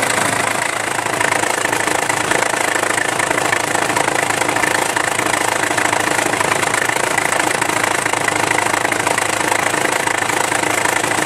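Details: Isuzu Rodeo idling with the timing belt cover removed: a quick slapping knock of about four beats a second. The failed timing belt tensioner (a compressed gas spring) lets the loose belt flop around, and the belt may have jumped a cog.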